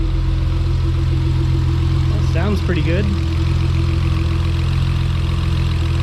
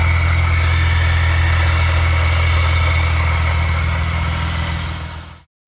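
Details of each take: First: Acura TL with its supercharger removed, now naturally aspirated with other mods, idles steadily and evenly with a smooth hum and no misses or ticks; air-fuel ratios look perfect. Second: Supercharged Acura TL at idle: steady idle with a faint rough grind and thin whine from the supercharger rotor area, worn blower internals; supercharger removed for rebuild to avoid seizure or further damage.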